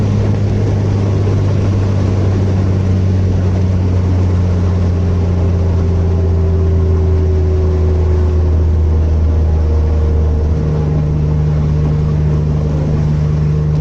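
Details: Mitsubishi Magna twin-turbo 6G72 DOHC V6 after the misfire was fixed: a steady, even engine drone with a smooth low note and no stumble or skipped beats, then a clean rise in revs.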